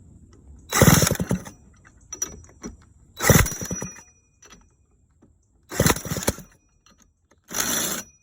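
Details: 1985 Honda Spree two-stroke scooter, hard starting: short bursts of rough running that die away repeatedly, about four tries in eight seconds; the engine won't catch cleanly.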